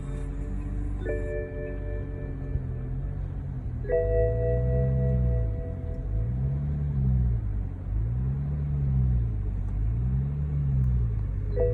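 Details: 2011 BMW 335ix E90, N55 engine, after start: idle surges between about 800 and 1200 rpm roughly every two seconds, later settles to 800 then the normal 600 rpm; intermittent, sometimes with hard start; cause suspected, not confirmed.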